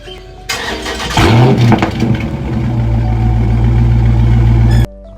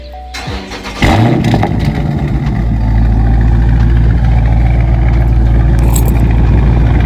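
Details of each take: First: Dodge Charger/Challenger engine cranks and fires with a brief squeak from the active exhaust valve as it starts, then settles to idle. The fix is lubricating the valve with WD-40 Specialist dry lube with PTFE. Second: Dodge Charger/Challenger start after lubricating the active exhaust with WD-40 Specialist dry lube with PTFE: the big petrol engine cranks, fires with a loud burst and settles into a deep, steady idle with no exhaust squeak.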